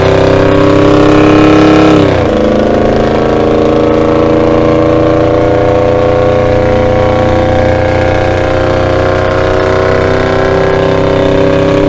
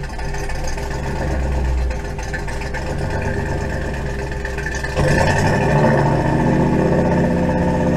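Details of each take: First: 1975 Dodge D100 with Holley Sniper EFI on a freeway acceleration run. The note drops at a gear change, then climbs smoothly with no hesitation. Owner suspects the earlier limit was fuel starvation from fuel sloshing away from the bottom pickup. Normal acceleration. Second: Engine with Holley Sniper EFI, warm at about 170 degrees, run up to about 2500 rpm then off throttle: it sags and stumbles lean; fuel pickup sock is clean with 4–5 inches of fuel, and the owner suspects low fuel.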